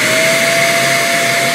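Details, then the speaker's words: Greenote corded AC bagless stick vacuum with HEPA filter and 18 kPa suction, run as a demonstration: smooth, steady motor whine with even high airflow hiss, quiet, no rattles or surging; normal healthy running. "Now what I'd like to do is just to run it for you quickly, just so you can hear how it sounds. It's not very loud at all"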